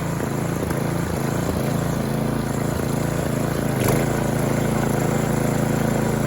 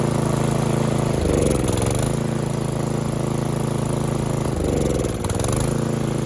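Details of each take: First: Snowthrower small engine after carburetor cleaning, still cold on full choke, no load. Even drone with slight rise and fall in speed, hunting that smooths out once the impellers are under load. Normal running with slight hunting. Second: Snowblower single-cylinder engine after electric start hunts and surges, dipping twice as it nearly dies; it runs only on full choke; clogged carburetor, carb to be removed for a full clean.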